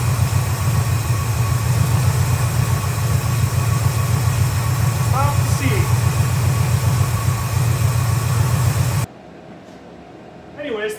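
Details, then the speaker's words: 1971 Chevy C10 carbureted 350 small block, now with accelerator-pump shot after no-start troubleshooting. Steady, firm idle rumble with no misses or ticks for nine seconds before cutting off, running better than it ever has. "okay well it's running it's actually running really well way better than it ever has"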